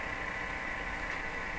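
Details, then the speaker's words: Viking EMU61 tube radio: speaker gives a steady low hum under constant hiss with no program audible; signal tracing shows the hum is absent at the radio output but present in the audio stage. "that's a good indication that there's an that sound that humming sound is not there in the radio output but it's in the audio"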